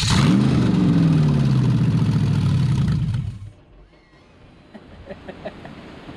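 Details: C5 Corvette V8 drivetrain out of the car, unknown-condition engine, standalone ECU, open headers, first start: loud engine catches, blips, settles evenly on all cylinders, then shuts off. Normal running.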